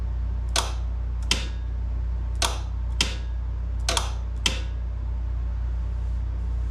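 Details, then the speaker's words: Craftsman GTS5000 mower with a Kohler engine: the electric PTO clutch is bench-powered with a makeshift battery wired to its plug. Six sharp clicks sound over a low hum. It engages but is stiff. "if I touch it we should hear it click so that means it's definitely engaging but it seems like it's having a little bit of a hard"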